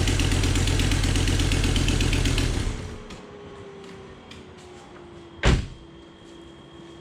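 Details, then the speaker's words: Volvo S60R with rebuilt, shimmed engine, first start after assembly: catches and settles into fast idle with puffing, ticking exhaust note; sounds like an exhaust leak, possibly a misfire, connections to be checked, unconfirmed. "sounds like an exhaust leak right there"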